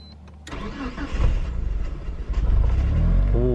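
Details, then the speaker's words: Mitsubishi Galant VR4 after a coolant temperature sensor replacement: the starter cranks about 2.5 seconds before the engine catches and settles to idle. It is a slightly reluctant start, though better than before the repair. Cause unclear. "struggled a little bit to start there just a little bit but it was a little bit better than before"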